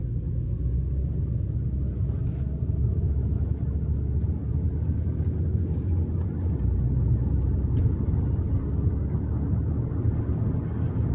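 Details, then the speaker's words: 2020 Toyota Avalon driving around 30–40 km/h after reinstalling the intake manifold vacuum hose and removing a bracket: steady low road rumble, no rattle; the earlier rattling is gone. "but now not uh coming the noise"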